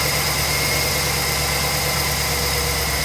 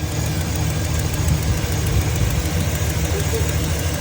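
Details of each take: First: 2009 Chevy 2500HD 6.0L V8 after replacing the driver's side exhaust manifold, gasket and broken head bolt: idles smoothly and evenly, with no ticking or puffing from the previous exhaust leak. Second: 2009 Chevy 2500HD 6.0L petrol V8 idling with fast light ticking over a deep rumble: driver's-side exhaust manifold leak from a bolt broken off in the head, running rough and throwing codes.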